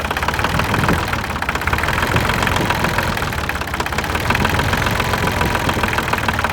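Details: New Holland TC33 tractor diesel after it sputtered and stopped, now running after a new fuel filter, new fuel line and bleeding air at the bleeder bolt; steady rapid even clatter, no misses: normal diesel idle.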